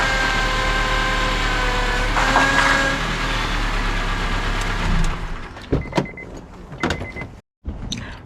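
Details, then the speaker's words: 2007 Honda Accord running with heavy steering: thin steady whine rising while steering under strain; power steering pump bearings gone, system sucking air. "this power steering pump has gone out on me in other words bearings have gone out"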